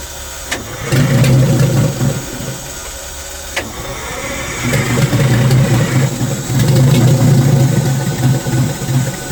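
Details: Detroit Diesel in a vintage abandoned GMC truck, battery cables had been hooked up backwards; catches and runs lumpy, surging and sagging with a mid-run dip; starving for air, intake shutoff stuck partly closed.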